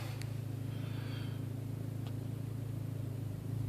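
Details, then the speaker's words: Audi/VW 1.8T engine: steady, even low idle rumble with smooth regular pulses, no misses, knocks or hunting. Normal idle. "Normal idle."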